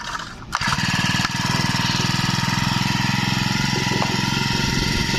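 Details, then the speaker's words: Used Japanese Honda UMK422 four-stroke brush cutter: pull start catches at once and settles into an even, steady putter with no misses or knocks; healthy idle. "เครื่องเดินนิ่มๆเลยฟังเสียงดูก่อนนะ"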